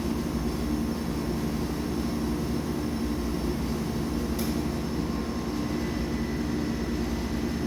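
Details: Denton DV502B vacuum evaporator, auto vent pushed after lowering the bell jar: steady rush of air over a low machine hum with one brief click; the chamber is venting normally.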